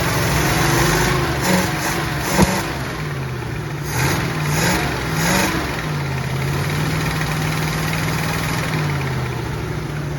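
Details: 1967 Mustang V8 fired up again: a steady, even idle with quick throttle blips that rise and settle cleanly; good oil pressure, healthy.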